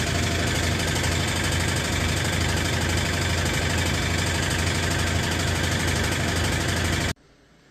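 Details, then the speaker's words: Brastemp 12 kg washing machine, nearly new, knocks hard during spin only when loaded with clothes, about three to four beats a second; rubber mounts checked fine, cause found to be a loose, broken mounting screw. "Quando ela centrifuga, parece que tem alguma coisa batendo."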